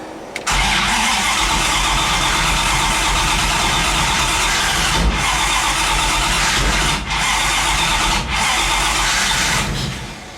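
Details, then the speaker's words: 5.2 V8 swapped Dodge Dakota, turbo exhaust, open header, O2 sensor unplugged, fans always on: cranks and catches, then runs loud and ragged with sagging stumbles; ignition timing way off, firing too early. "sounds like the timing is way way off on it like it's firing too early so I'm gonna have to look into"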